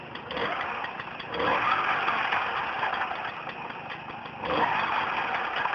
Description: Turorial on how to fix your Tomos clutch rattle noise.